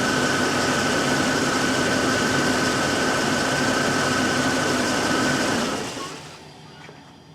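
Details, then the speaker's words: 1998 Bentley Brooklands R V8 with a rich-running condition: busy, slightly uneven idle with occasional stumbles, logged as a random misfire on no particular cylinder; owner suspects a possibly stuck-open injector. "you can tell bit of a rough idle a but it's showing up as a as a a random mire it's not showing up on any particular cylinder in itself"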